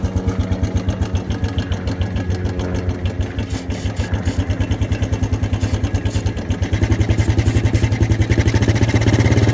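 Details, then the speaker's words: Suzuki Quad Runner LT160 ATV single cylinder with quick, fairly even popping growing louder, just hanging on at idle and running out of gas; fuel in tank but suspected not reaching engine, owner suspects carburetor needs cleaning. "Alright, so it needs a carb clean, but I think we have a runner."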